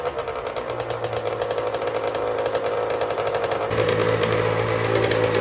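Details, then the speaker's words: Custom Honda TRX90 with rebuilt CR85 two-stroke engine, after rejetting from 40 idle/110 main to 45 idle/130 main: crisp, even buzz picking up cleanly with no bog or sputter; jetting much more spot on, though the head gasket blows shortly after under hard revving. "That's a lot more spot on, boys. Smell it. That's better. That's downright almost fast."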